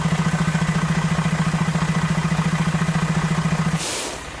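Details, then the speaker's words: Freightliner truck at idle, just back from dealer: deep hollow pulsing hum, three to four beats a second, only while air compressor fills tank, then hiss and silence. "I noticed that every time when the air compressor got to fill up, it has that sound. I've never heard that sound before, and I was wondering why."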